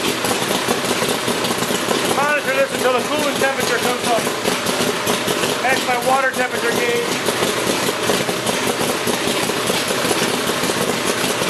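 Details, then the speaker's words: 427 Cobra with an EFI system at first start-up, oil pressure, coolant, fuel pressure and electrics checked; the V8 catches and settles into an even, steady idle under loud background noise, no knocks or misses. "all the electrical is working the fuel pump is working and get my fuel pressure now I can start it up and we should have no problems"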